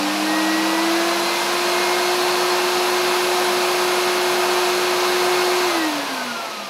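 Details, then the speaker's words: Hoover SC364 Vogue 1300 exclusive vacuum cleaner, unrestored, with old bag and filters, first run: motor spins up to a steady clean hum with a faint whistle, some air rushing and even airflow, no grinding or rattle; healthy motor. "that sounds fine that sounds pretty sweet so you know I'm uh quite happy with that obviously it's going to need I heard a bit of air rushing"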